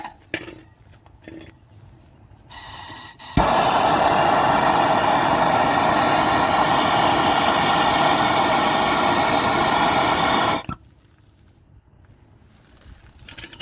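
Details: Gen2 Chevrolet Traverse running: harsh steady rushing hiss with quick even puffing from an exhaust leak at the pipe joint between the resonator and muffler. The fix was new nuts, bolts and a gasket.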